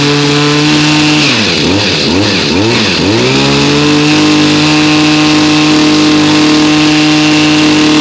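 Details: New two-stroke unit, cold start around 30°F after about 5 months stored on ethanol-free fuel without stabilizer, choked and primed: crisp steady buzz, a few quick throttle blips wobbling the pitch, then even clean run; normal running.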